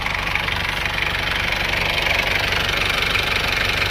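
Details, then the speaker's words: Isuzu Panther 2.3 diesel after repair: steady idle with an even clatter about four beats a second, no misses or odd knocks; combustion is now smooth and the engine healthy. "Ini suara mesinnya seperti ini. Ada raungan macan. Kalau kerataannya sudah bagus."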